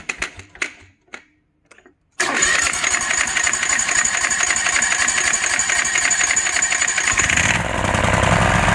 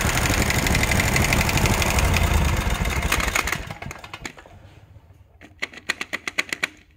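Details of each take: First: Kawasaki FH601V 19 hp engine on a 1700-hour Scag Tiger Cub, after teardown and governor linkage repair: catches after a few cranks, settles evenly, revs up and holds steady without surging; governor no longer runs away past 3600 rpm. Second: Kawasaki FH601V 19 hp engine on a 1700-hour Scag Tiger Cub that had a runaway governor: the engine winds down into sharp metallic clanks about four a second. Not rod knock; a worn plate that commonly wears out.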